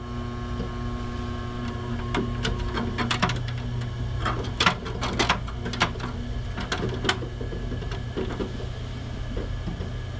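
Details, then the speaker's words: Synology DS918+ NAS with four mechanical hard drives, about a year old, idling not under load: steady low hum with scattered soft drive clicks and none of the buzzing chassis vibration it developed after a few months. "now normally it should be like this when it's not under load"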